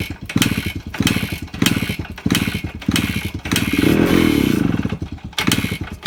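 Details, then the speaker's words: 2001 Suzuki Samurai two-stroke motorcycle, plugs checked good, oil pump not working so oil premixed in petrol, kick-started after long effort; fires in rhythmic bursts, blipped, then runs on its own; normal cold start. "നമ്മുടെ Suzuki samurai 2001 model വണ്ടിയാണിത് ഇത് start ആയിട്ടുണ്ട്"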